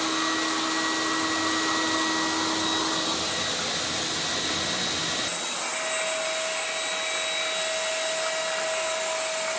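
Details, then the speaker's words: CECOR SD15 Sump Shark on battery power, on discharge setting pumping an estimated 50–60 gallons of tank fluid into a drum; steady even high-pitched rushing hum with brief shift as fluid is drawn: normal running. "So we can fire it up. We do have it under battery power right now. We got it on the discharge setting."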